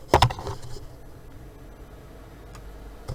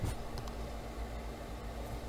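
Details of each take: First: PC fan boosted to full speed via MSI Afterburner while the computer had apparently warmed up, temperature then starting to drop: a steady, even rush of air with no rubbing, ticking or wobble, graphics card fan spinning flat out and healthy. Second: PC graphics card fan set to 100% in MSI Afterburner: steady, even whir with a faint constant hum underneath; cooling fan running at full speed, noticeably loud.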